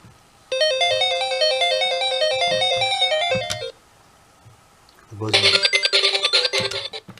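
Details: Recapped Sega Game Gear running on batteries instead of mains charger; crisp beeping game tune through the speaker with quiet background, no buzz or hum; scratchy buzz on charger traced to power board, not sound board.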